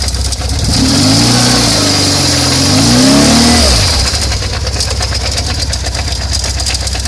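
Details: BMW R1150R twin-cylinder motorcycle engine: two blips, then a lumpy idle with an odd, regular tapping; strange noise, cause unidentified.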